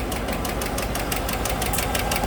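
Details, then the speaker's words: 2015 GMC Sierra 1500 Denali 6.2L V8 at idle: fast crisp metallic ticking locked to engine speed, passenger side, no misfire; found to be a bent and broken number 6 intake pushrod. "Sounds like it's on the passenger side. Definitely. It's not missing. So I predict it's got a broken valve spring."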